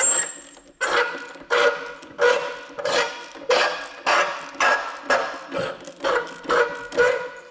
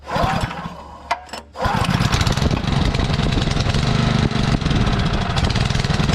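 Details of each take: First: Seized Sterling (Honda clone) 3-inch trash pump turned slowly by hand via the recoil: a scraping grind repeats about every 0.7 s. The piston moves fine, so a rock is suspected stuck in the pump housing. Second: Sterling Honda-clone 6.5 hp engine on 3-inch trash pump, previously seized, primed and started on choke: after a couple of pulls it catches and settles into a steady, even putter with no misses; idles smoothly.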